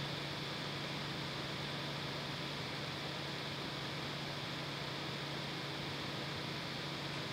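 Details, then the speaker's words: Creality CR6 SE 3D printer fitted with quiet Noctua fans replacing stock power supply and motherboard fans, mic on the print bed: quiet steady airy hiss with faint hum, no rattle or bearing whine; level dropped from about 53 to 49 dB. "okay so yeah as you saw there it went down from like 53 to 49 which was actually more than i was expecting"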